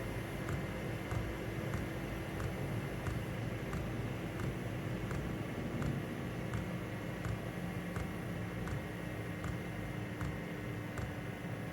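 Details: Diesel heater turned down to low, mic about 14 inches from pump: soft steady fan hiss, low hum, faint regular tick about every half second; running normally.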